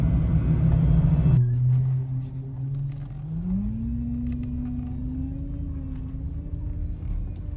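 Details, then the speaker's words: 2003 Chevy Trailblazer 5.3L V8 idling: low steady whine rising in pitch and holding, failing power steering pump that whines when turning or accelerating and stiffens steering; pump replaced. "also making a winding noise when you're turning left or right or even sometimes when you're accelerating you'll kind of hear it kind of whining and struggling"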